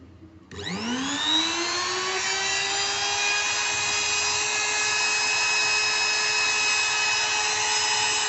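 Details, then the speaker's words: New Modern M3820 profile trimmer (400 W, 220 V, 28,000 rpm no-load) running unloaded: it spins up in about a second to a clean, steady high whine with no crackle or roughness, so operation is normal. "begitulah keadaannya ketika mesin masih baru , teman-teman. Suaranya, apa ya sebutannya? Mulus. Tidak ada suara kasar atau apa pun, apa sebutannya?"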